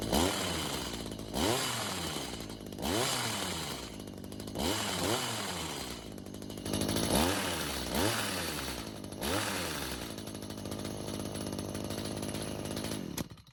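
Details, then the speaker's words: Stihl two-stroke hedge trimmer, stored with old fuel and wouldn't start. After another quarter turn on the carb L screw and a raised idle speed, it stays running, snaps up cleanly on each throttle blip and settles to a steady idle: normal. "So, this time it stayed running. It was even revving just fine."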